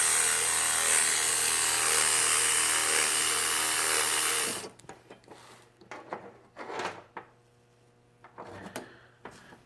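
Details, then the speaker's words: Osias Bosch 044 knockoff electric fuel pump bench sound test: loud, high buzzing whir for about four seconds, then cut off; the pump is running dry with no fuel flowing and would be quieter with fuel. "I'll just put it on for a short time because it's not good to have a fuel pump running when there's no fuel going through it - this is what it sounds like"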